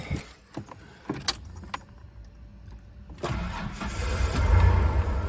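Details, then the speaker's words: 1991 Ford Explorer 4-door, 5-speed 4x4, long-sitting, started on ether: clicks and cranking, then it runs with a faintly uneven beat and shakes. Owner suspects bad gas and possibly a weak fuel pump. Hard starting, slight misfire. "My first time hearing it run since I got it home. It definitely has a little bit of a miss."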